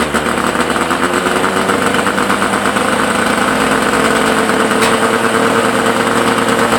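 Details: Suzuki SS20 Cervo idling: sharp raspy puffing ticking with each firing pulse, exhaust leak.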